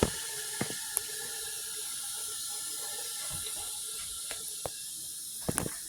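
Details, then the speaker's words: Dishwasher after repair (door screw reset) at cycle start: steady soft hiss of water filling with a few light clicks; normal fill. "So she's running. I'm going to let her start up, and then I'm going to cancel her out. She's still loading water. you can hear her."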